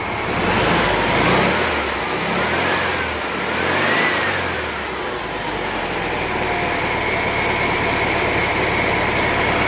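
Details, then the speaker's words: Rebuilt 1950s air-cooled VW flat-four, mid-warm, on old plugs, points and mismatched condenser: a few gentle revs then a steady even idle; generator quiet, muffler fine with no exhaust leaks. "Generator sounds good, it's quiet, you know it works. Muffler's nice, don't really have any exhaust leaks on it."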